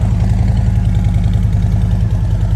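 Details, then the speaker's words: Damaged motorcycle at Copart auction with broken forks and front-end damage, idling: deep, even low-pitched idle with steady lumpy beat, no knocks or rattles, not too loud or quiet; engine sounds healthy, normal idle. "Not too loud, not too quiet. Yeah. Sounds pretty damn good if you ask me."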